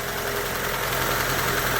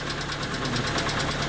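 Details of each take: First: Hyundai Getz, cold engine just after replacing the hydraulic lifters: steady, even cold idle with a smooth hum and no tapping from the top end; lifter knock resolved. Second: Hyundai Getz, partly warm (about 40°C), at idle: quick, sharp lifter ticking at roughly thirteen per second over a steady idle; oil pressure measured normal, so ticking isn't pressure-related, hydraulic lifter suspected.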